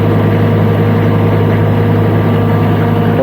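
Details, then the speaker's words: Niftylift HR21D MK2 diesel engine after glow plug fuse replaced and start restored (error 01009B05, under-voltage): steady even diesel idle, constant hum, no knocks or stumbles; normal idle. "engine is running nice now smooth no problems"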